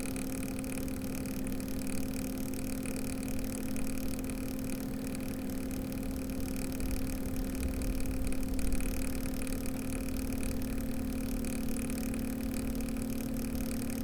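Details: Cooler Master ML240L RGB liquid cooler, CPU fan at full speed: steady low droning hum after weeks of use, idle temps up from 35 to 50°C; owner suspects failing pump or air lock.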